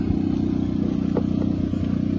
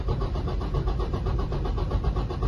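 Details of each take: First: 2018 Freightliner Cascadia Detroit diesel, scanner compression test cranking: steady chug with a lopsided beat where one stroke drops out; cylinder 4 has no compression from tight (closed) valves, others fine. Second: 2018 Freightliner Cascadia Detroit diesel, scanner compression test after valve adjustment: even, strong cranking about four beats a second with equal pulses; cylinder 4 compression, previously very low, now normal.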